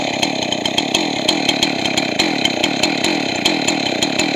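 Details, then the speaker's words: Two-stroke chainsaw after carburetor rebuild, high-speed mixture adjustment: screams at very high revs with a sharp, thin crackle, running lean until the high-speed jet is richened, then brought back slightly rich. "And you'll hear it go too high, and then you'll hear me thicken it up, and then I'll bring it back to where it almost is right."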